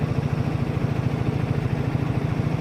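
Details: 2014 Silverado idling with AC on while refrigerant is charged to the scale target after fixing the discharge hose leak: even, low, pulsing idle with no misses or knocks; healthy.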